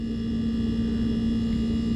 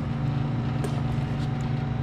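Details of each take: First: Sub-Zero refrigerator never serviced, showing excessive compressor run error codes: steady compressor hum with a strong low tone and no fan whoosh; compressor and condenser extremely hot because the condenser fan motor isn't running. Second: Sub-Zero refrigerator not cooling, new condenser fan motor installed: even low hum with no scraping or wobble, a few handling clicks, good airflow; condenser fan running normally.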